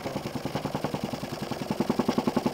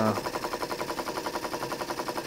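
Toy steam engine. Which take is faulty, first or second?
first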